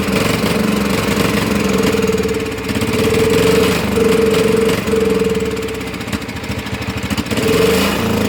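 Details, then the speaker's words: Cub Cadet HDS mower engine, running poorly on its own after revival, deck removed and rusty: hunts up and down, sagging twice as if about to stall, then recovering. Surging at idle, cause unclear. "But it keeps acting like he's going to die and then pick back up. Not really sure what that's about."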